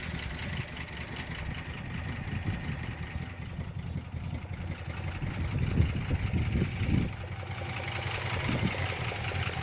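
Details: 1962 Dodge Custom 880 V8, after fixing miswired coil, bad distributor cap and points: low, slightly uneven lope at idle, quiet but running on its own; not running badly, no problems seen.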